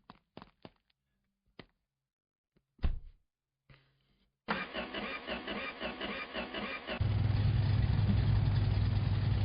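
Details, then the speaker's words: Straight six in a cheap B200 truck project: a few clicks, a crank, then it fires and settles into a smooth, even, steady idle; normal running. "Listen to that straight six purr."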